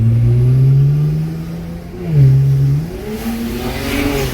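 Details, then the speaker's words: BMW 335i (N54) on pump gas after boost leak repair, hard pull in third gear: strong clean rising engine note, no hiss or flutter of escaping air; normal acceleration under boost. "Guys, this car feels good. This car back. This car feels good. Car no brake traction in third gear. Feels really good."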